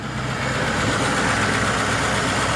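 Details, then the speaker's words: 1949 Pontiac Silver Streak straight engine after oil and coolant change: smooth, even idle, quiet steady run, no ticking or knocking, like a sewing machine; normal idle. "Like a sewing machine."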